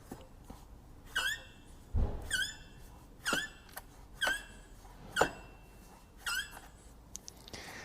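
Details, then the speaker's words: Vauxhall Corsa 1.2, engine off, auxiliary belt removed, water pump pulley spun by hand: short chirping squeaks about once a second from a worn water pump bearing; water pump needs replacing. "so that should not be making that noise so it looks like this is also going to need a new water pump"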